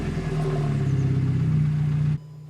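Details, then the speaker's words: Mk5 Golf GTI, 108,000 miles, 6-speed manual, with an exhaust mod, just after start-up: steady even low hum with smooth unbroken beat and no knocks or rattles, then drops away; calm, healthy idle. "So yeah, it does sound quite calm, doesn't it, really? But considering it's had like an exhaust mod at the back as well, it does sound really calm."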